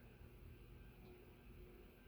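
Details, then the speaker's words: Sears/Emerson "Turn of the Century" 40-inch ceiling fan with KB55 motor on a solid-state speed control: faint steady low hum with light whine, no buzz or rattle; surprisingly quiet, bedroom-quiet rating. "Wow. That's the worst of it. Should have gone with bedroom. I would say bedroom on that."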